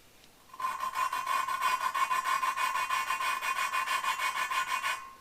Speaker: all right now i want you to listen when i start it's going to sound very coarse and grinding and then it's going to smooth out and become less raspy when it becomes less raspy you need to change your lapping compound see how it's very coarse